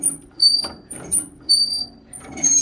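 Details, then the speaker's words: Farmall 756 tractor, engine off: short bursts of high, thin squeaking each time the throttle lever is worked. The lever won't go fully down; the dry throttle friction disc is suspected but not confirmed. "I don't know if I should spray that friction disc or not. A lot of squeaking and beaking going on there."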